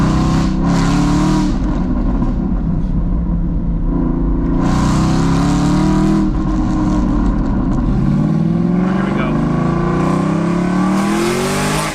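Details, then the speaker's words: Aston Martin V8 Vantage back from the shop, revved on the spot around 2,800-3,000 rpm and higher on the driveway: deep harsh booming roar swelling with each blip, like a rally car; exhaust excessively loud, cause unknown. "[Music] it sounds like a rally car like it's just awful"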